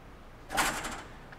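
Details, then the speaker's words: Water hammer demo: quick-closing valve on a 200 ft copper coil with surge suppressors isolated; sharp bang with brief rattling tail as the shock travels and reflects back to the valve, gauge showing 400 PSI peak from zero instantly. "and you can see the shock that occurred slightly delayed as the liquid traveled and then revers back up to the valve now we hear at 400 PSI Peak pressure from a zero pressure point in an instant so quickly that you could not capture it with the human eye but we're able to capture it with the gauge"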